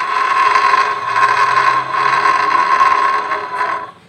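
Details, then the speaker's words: Suzuki Nex automatic scooter, engine running with CVT cover off: rough rasping whir and steady high tone, louder than with cover closed; worn CVT bearing. "Apakah suara dengan kondisi terbuka dan tertutup tapi masih sama Ayu berarti masih sama dan cenderung lebih kenceng kenapa Karena kalau kita tutup ini dia masih ada redamannya kalau kita buka ya sudah tidak ada redamannya maka suara tadi akan lebih tinggi dan ini yang terjadi"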